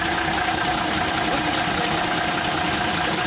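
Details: Ashok Leyland BS4 truck diesel restarted after a bottle was removed from the engine bay. It gives a loud, dense idle at a steady speed with no standout knocks; the mechanic still remarks the sound is heavy.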